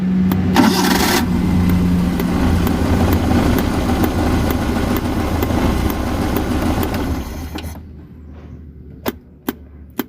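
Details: Car with a fuel pump problem that stalls on the road, after fuel is put into the carburetor: a short crank, then it catches at once and settles into a steady, even idle for several seconds before shutting off. Normal start and idle.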